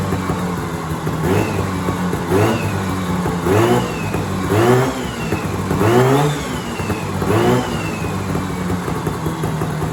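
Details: 1970s Sno-Pony snowmobile, 340 twin-cylinder two-stroke, first run after sitting 20–30 years: crisp buzz blipped up roughly once a second, each rev rising and falling cleanly, engine warm; a healthy-sounding twin.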